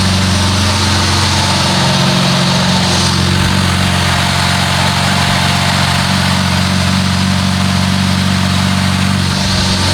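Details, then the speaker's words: BMW E36 after crash repairs, first start in a while: steady, even idle with smooth low rumble, no knocks or misses; sounds healthy, normal idle. "sound pretty healthy it sounds like it's almost ready to be on the road"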